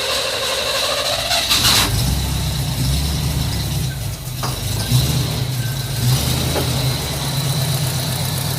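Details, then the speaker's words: Jeep CJ-8 Scrambler neglected for about a decade, possible water in the gas tank: starter churns steadily without firing; no fuel is arriving, the mechanical fuel pump appears dead. "I legitimately thought that we were going to fire this thing right up and loaded on the trailer and head to diches"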